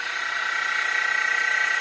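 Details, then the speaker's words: Mini mill after a Little Machine Shop belt drive kit upgrade: smooth steady high whine with even fast flutter, no knocks or grinding, lever rubbing gone; normal running. "I had to use that moly grease. So we got rid of that noise as well too."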